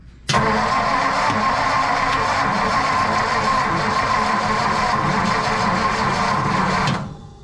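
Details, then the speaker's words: 1954 Mercury engine after oil pump failure and possibly a minute run without oil pressure, oil pump reassembled: about six seconds of starter whir with no cranking or firing; engine seized, to be replaced with a Coyote. "All right, leave it to the mechanic shop to fuck it up. The engine has seized up, so here is a good chance for us to actually put a Coyote in that bitch."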